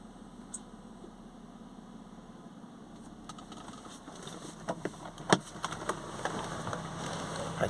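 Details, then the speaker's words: Mercedes SLK350 with code P0410, secondary air injection pump switched on via diagnostic tool with engine slightly warm: steady airy hair-dryer whoosh over the engine hum, showing the pump and its electrics work. "can hear it and now it sounds like your hair dryer that means it's working so we know all the electrics on the car are good"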